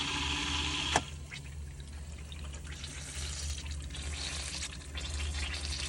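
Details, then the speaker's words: Steady low pump hum under irregular gurgling and spluttering as a Hygger pond pump is briefly run while repriming, with irrigation feed on and bog filter bypassed; air still bleeding from the intake line. "When you turn it off, that'll bubble like that. So, that's bleeding out the air in the line."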